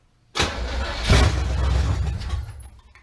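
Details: 1971 Camaro that sat 9 years, known-good carburetor fitted, fuel confirmed up to the fuel pump, car still off the ground: steady cranking about four turns a second with no firing; cranks but no start, cause not confirmed.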